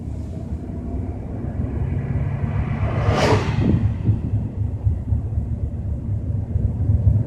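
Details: BMW 320i while driving at 30–40 km/h: deep, steady low drone under road noise; low rumbling noise of unclear source.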